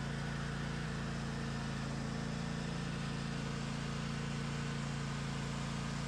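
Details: Craftsman DLT 2000 riding mower with blown Kohler Pro 20 V-twin replaced by Harbor Freight Predator 708cc engine, after rewiring: starts and runs on the switch with a steady, even thrum and regular firing beat, no knocks or misses; runs smoothly.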